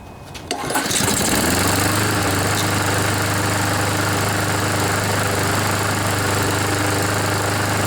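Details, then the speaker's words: Honda GCV lawnmower engine that flooded its air filter with oil, started and running on choke: it catches within a second and holds a steady, even idle while burning off the oil. "just watch it'll stop smoking after a bit got him all scared wow so you can see it only took a couple of minutes maybe just one minute one or two minutes for all that oil to burn out"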